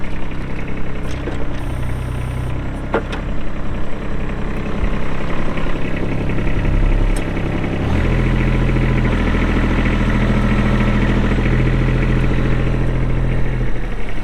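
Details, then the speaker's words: Kubota B7500 21 HP diesel 4WD hydro tractor, 1,249 hours, with steady low diesel clatter settling to an even idle after start-up with no misses or knocks; normal idle. "We'll get that hood shut. We'll fire it up and get right into an operational video."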